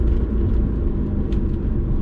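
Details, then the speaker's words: Mitsubishi Eclipse GSX AWD, 250,000 miles, coasting on a test drive: deep, steady low growl that winds down in pitch as the car slows, with clutch engaged or not; possible worn wheel bearing growl. "we have a horrible growling noise and this can't be a brand new Eclipse with a growling noise Crowley noise and this happens whether or not the clutch is engaged or disengaged here take a listen and it'll growl down as we slow down"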